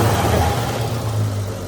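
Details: Used 1.3L engine freshly installed in a tintop, ignition not timed: engine catches and runs with a low, slightly uneven rumble and some revving; rough running, likely ignition timing off.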